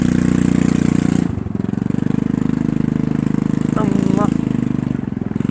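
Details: TVS scooter (Wego/Jupiter type) at idle before repair: deep, hard-pulsing exhaust beat about four pops a second, far too loud, from a broken exhaust bend pipe leaking before the silencer; fixed by welding and replacing the bend pipe.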